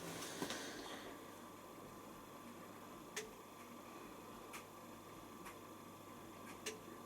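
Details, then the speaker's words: Washer at start of the main wash: sharp, sparse timer clicks about once a second over quiet room hum, normal stepping that takes about two minutes. "it runs a bit like um logics so you will hear it ticking behind here actually does anything and it takes ages takes about two minutes"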